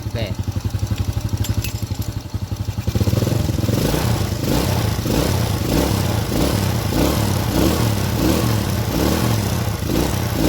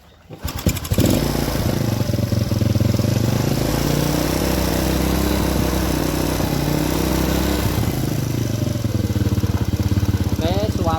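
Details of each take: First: Honda Supra-series carburetted single after needle (jarum panjang) clip set to middle to match the needle jet, left idling to warm up: steady, even putter with no sputter or misfire; sound changed from before, normal idle. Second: Honda Supra-series carburetted single-cylinder motorcycle, after reinstalling the carburettor during rework for black-fouled plug and stalling: fast, even idle with a thin, dry note lacking richness; mixture set too lean.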